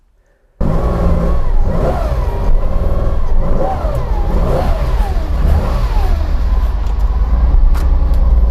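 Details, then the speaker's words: Porsche 914-6 converted to a 914-6 GT clone, briefly warmed before a test drive (not excessively, so richness doesn't wash down cylinder walls): deep, steady six-cylinder rumble right after start with gentle revs rising and falling, smooth and even; normal warm-up. "So I've let the car warm up just a bit, not excessively, because we don't want the richness to wash down the cylinder walls."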